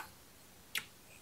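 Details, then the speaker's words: Bobcat zero-turn mower no-start, key turned: a single sharp click, then quiet; the solenoid receives about 12 V and clicks, but the starter motor does not crank. "I can hear it ticking so I know it's working"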